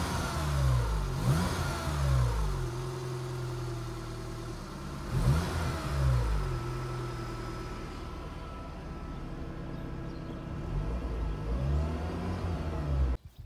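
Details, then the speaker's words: 2000 Fiat Panda Young (141) driven slowly after a rebuild with new rings, valve seals, oil pump, and timing chain and tensioner, fixing worn rings and oil burning: low, even engine hum rising gently with throttle, no ticking or rattle. Quiet and healthy. "ecco adesso vado un po piano vediamo se si sente il non rumore del motore e veramente un'altra cosa"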